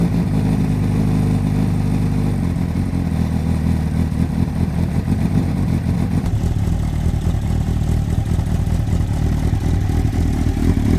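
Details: Repsol Honda CBR1000RR four-cylinder sportbike after fitting a new Varta battery, warmed past 47 degrees before revving: settles into an even idle and takes a couple of clean rev steps, no knocks, rattles or misfires; normal idle and rev.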